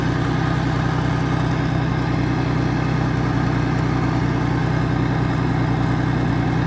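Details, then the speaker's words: Old Mercruiser inline six sterndrive (1976 120hp or 1973 165hp) being winterized, running on the flush hose: steady, even low rumble with no knocks or misses. Healthy warm idle. "I tell you I like the sound of that old inline six which he revs up just can't hear that when you're in the water cuz it's all underwater"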